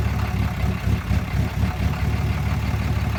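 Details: 2013 Ram 6.7 Cummins diesel, fully deleted, Bully Dog shows P04DB CCV code, FCA replaced without help: heavy idle with uneven pulsing about twice a second, rough surging idle; burps returning to idle, fine at open throttle; cause unknown.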